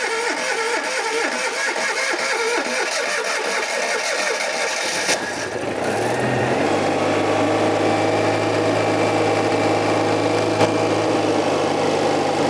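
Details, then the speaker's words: Barn-find classic petrol car with points ignition, long stored, first start with fuel bypassing tank, external power pack, choke out: cranks, catches, settles to steady even idle with smooth low hum; starts and runs cleanly. "listen to that flipping sweet nice isn't it like it's really nice"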